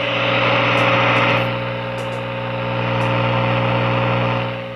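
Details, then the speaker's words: 1947 Sparton model 101 AA5 tube radio tuned off-station: low steady hum under the hiss without wavering; slight filter capacitor hum, capacitors need replacement. "if you can hear that it does have a h to it slight filter capacitor H so that'll need to be replaced"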